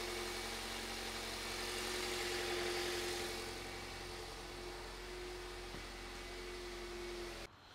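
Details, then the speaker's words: 2001 Toyota Avensis after repair: smooth, even idle with steady low hum, no misses or stumbles, waveform looks okay and car runs a million times better; normal idle after repair. "but yeah everything kind of looks okay car runs a million times better"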